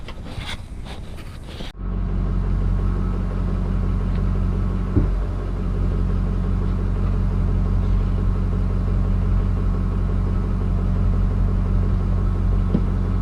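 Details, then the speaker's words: Case 1450B dozer with rebuilt diesel engine, first starts after reassembly (fuel leak still to fix): deep even rumble settling to steady idle with no knocks or misses; normal idle. "I mean so far sounds good I might start it one more time"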